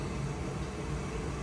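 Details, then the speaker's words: Goodman gas furnace, which had been turning on then shutting off, running eight hours after the flame sensor was replaced: a steady, even burner and blower rumble with no clicking, surging or cutting out. "it's working perfectly so remember before you try anything else just check your flame sensor that might just be the problem"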